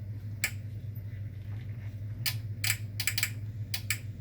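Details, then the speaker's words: Club Car charge receptacle relay for a Powerdrive 1 charger, not plugged into 110 V: sharp single clicks over a low steady hum as the relay closes when plugged in; normal relay click. "You usually can't hear it because you're not listening for it. But when this plugs in and that closes, it's now the 110 potential is going through to this transformer if it's plugged in."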